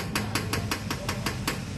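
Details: Honda CR-V suspension, wheel rocked by hand with camera close, sharp evenly spaced metallic clunks about five per second despite new rear shocks, bushings and stabilizer links; shock mounting ruled out.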